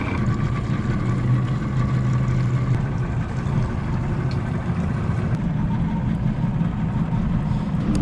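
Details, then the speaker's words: 1998 Wellcraft 210 center console with Johnson 225 hp two-stroke outboard under way after restoration: deep steady roar at speed, even unbroken pitch over water noise; running strong. "Running strong. We'll see what she tops out at."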